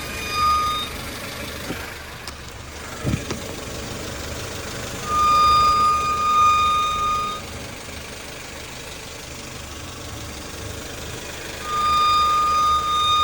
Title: Wining noise when turning right Honda civic 2012